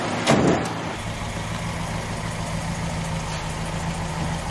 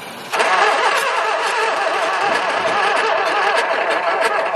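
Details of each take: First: Very early 1969 Ford Capri MK1 barn find revived after many years, before first drive: after a brief blip, steady, even idle with smooth low hum, no knocks or misses; sounds healthy. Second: 1969 Mk1 Ford Capri barn find, not run for many years: the starter spins the engine quick and light for several seconds with no catch. It has spark and fuel, so low compression is suspected as the no-start cause.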